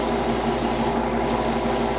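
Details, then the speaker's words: Airbrush spraying paint on a Bandai HG 1/60 Arbalest model: hissing spray with a rough, choking flutter, paint backfilling into the reservoir; the owner suspects a damaged nozzle. "It works. It just gives me this weird choking sound. Also it's backfilling inside my reservoir on the rocker."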